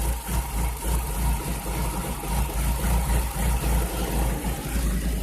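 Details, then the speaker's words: Chevrolet Cavalier, no stored codes, later multiple and cylinder 4 misfire codes; new plugs, ignition parts and MAP sensor, ignition control module not replaced: idle hunts unevenly with irregular low thumps, never steady; rough misfiring idle, cause unknown. "new plug loaders all that jazz new map sensor but it's just idling like a turd"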